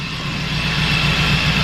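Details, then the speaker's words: Honda Civic EK hatch with K20 turbo, idling during cooling system bleeding: a steady high whine rides over the idle at constant pitch; a noisy engine pulley, pointing to a worn idler pulley bearing. "Thing is the pulley. One of the pulleys on that engine is making a ton of noise."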